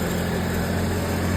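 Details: GMC Envoy on first start after an alternator replacement: a smooth, steady low hum at constant pitch with no squeal, chirp or knock, a normal idle. The old alternator's bearing may have caused the earlier noise.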